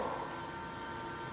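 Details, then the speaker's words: Wrecked McLaren 720S, long-stored, just fitted with a new battery and powered on: a continuous bright electronic warning chime. Cause unknown; the owner guesses something trying to activate the springs. "no what the hell is that um sounds like it's trying to activate the springs or something"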